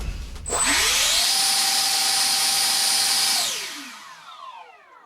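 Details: Steady piercing high whine climbs smoothly, holds about two seconds, then winds down; SU-27 ducted fan thrust test after failed maiden.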